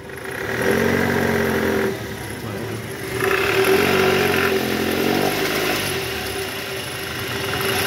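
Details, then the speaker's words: 2008 Toyota Camry XV40, 2AZ-FE engine, in R with throttle to about 1000 rpm, AC on: rough snoring growl swelling and easing with revs, plus chirping, traced to the belt tensioner; belt tensioner growl. "Oke cukup nah bunyi ngorok dan bunyi cikciik cikciknya itu udah kita analisa juga dari Tensioner nih guys"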